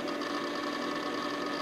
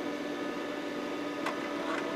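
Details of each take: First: Micron Home MPC first boot since the factory, booting its OEM Windows 95 install: steady drive whine with rapid, loud chattering seek ticks; owner unsure whether this hard drive seeking is normal, suspects the drive may be dying, not confirmed. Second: Micron Home MPC PC on its first boot since the factory, cover off on the bench, CMOS battery replaced: over a steady fan hum, a few short clicks and a brief buzz as the floppy drive does a normal seek after the RAM check.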